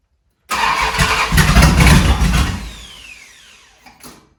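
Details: 1971 Dodge Charger Super Bee 383 Magnum V8, cold, just after a valley pan change for a suspected intake leak, blowing flames: cranks, catches with a loud uneven burst, stumbles and dies. Hard starting and rough running; owner suspects it's out of time again.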